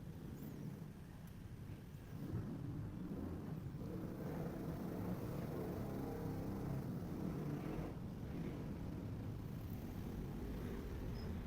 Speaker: Aha. Wala siyang tunog. Yan. Wala siyang tunog. So 'di ba success? Wala siyang tunog dahil sa pinalitan natin itong warn gear.